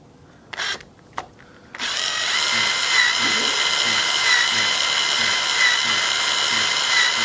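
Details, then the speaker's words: Webster model engine turned over by an electric drill through a newly machined crankshaft driver, exhaust valve timing just set: steady drill whine sagging in a regular beat as each compression stroke loads it; normal compression, engine seals well. "you can hear the motor in the drill picking up the load when compression comes on so all good progress"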